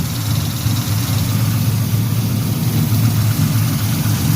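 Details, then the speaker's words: 1974 Chevy Caprice carbureted V8, cold and not yet warmed up in winter, after valve adjustment cured a misfire, idles with a steady deep burble and no valve ticking; normal cold idle. "everything's running like it's supposed to she warming up in the cold you hear how she sounds in the cold and she ain't even warmed up"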